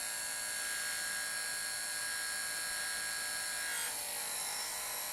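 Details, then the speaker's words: Demo-kit DC electric motor on 1 volt with magnets flipped to narrow the rotor gap: high thin whine with a rough edge, pitch dropping as speed wanders. "hear the motor changing speed it's going to do that now when i remove this it still works"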